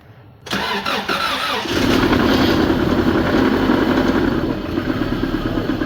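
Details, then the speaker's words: Subaru after timing belt tensioner replacement, running about half an hour: engine catches, then a loose uneven knock under the idle like a rod knock; actually a slack timing belt with skip marks from a failed, non-tensioning tensioner. "probably within half an hour you can start you can start hearing a nasty noise sounds like it has a rod"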